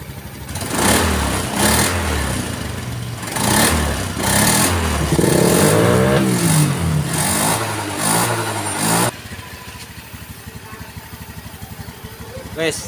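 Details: Honda Beat scooter CVT after cleaning and replacing a worn roller housing: repeated throttle blips rise and fall cleanly with no rattle or shudder, the earlier roughness gone; drive smooth and healthy.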